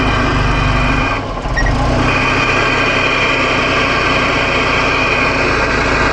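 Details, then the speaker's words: 1975 Volvo 245 16v turbo with LH2.2 air mass meter, idling at 13 V: when the meter is plugged back in, the idle dips, stumbles and hunts unevenly. A faulty meter is upsetting the mixture. "If you give it more than about 15% 20% throttle, it just completely falls on its face. But unlike with the math, it's at least idling."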